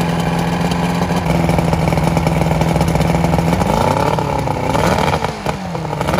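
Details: Vintage Evinrude SPL 88 outboard, cold start after winter, about 23 degrees overnight: steady even idle with no missing, note dips and recovers smoothly when shifted; normal cold start and idle.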